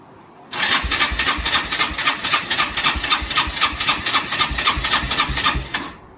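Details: Rieju RS2 Matrix Pro 125cc, first start attempt after ten years stored, new battery, fuel lines and valve, choke on: steady starter churn with even compression pulses near four per second for five seconds, no sign of firing.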